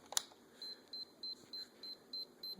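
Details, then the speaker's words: Sony tape camcorder with a new tape loaded in record mode: a steady string of short, high-pitched beeps about three a second while an eject symbol shows, then it ejects; it won't record or play. "you can see that little uh looks like a eject sign and it just beeps and it ejects"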